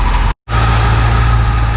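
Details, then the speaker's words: Barn-find 1966 Ford Thunderbird V8 after cleaning number 8 cylinder plug that had not been firing, after 125-mile drive: steady, even low idle rumble, all 8 cylinders firing. "Well, with all 8 cylinders firing, she's running good again."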